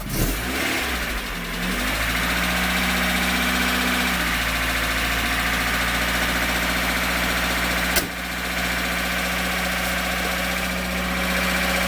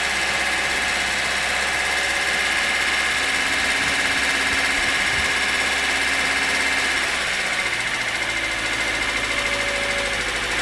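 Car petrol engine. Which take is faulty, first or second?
second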